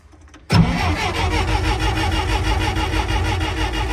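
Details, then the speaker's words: Tennant model 92 street sweeper (Mercedes badge) with refitted starter starts right up on choke after a brief crank, settling into a steady, even idle with no misses or knocks. "So I figured out that this is the choke. And starts right up."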